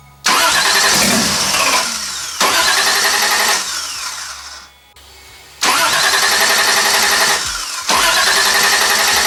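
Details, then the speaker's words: 1JZ-swapped widebody Toyota Supra after fitting a used starter: engine catches on cranking, runs a second or two and sags away each time, never settling into a steady idle; cause still unknown. "okay so you heard it start again yeah it doesn't want to run like Idol at all so I've got some more tinkering to do"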